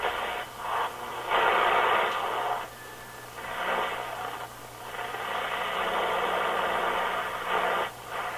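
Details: Rogers 8R931 vacuum tube radio during voltage checks, before connecting the outdoor antenna: hiss and static swell and fade in bursts with no clear station; weak, noisy reception.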